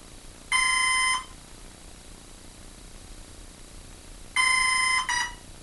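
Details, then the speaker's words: Hobbyking F4U Funfighter RC plane bound to a Turnigy 9x: bursts of high electronic ESC beeping about half a second long, several seconds apart, motor never spins on throttle while other controls work; speed controller not arming. "that don't sound right it should have just went see what the throttle does and the throttle is doing precisely nothing"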